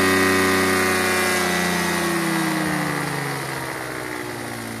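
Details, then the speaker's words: Chinese GY6 150cc scooter with new replacement carburetor, starting only on starter fluid: runs at high revs then pitch sags and fades, unable to settle into idle despite adjusting mixture and idle screws; electric choke seems ineffective. "so it won't idle either and I've messed with the air fuel mixture screw I've had messed with the idle screw for a long time"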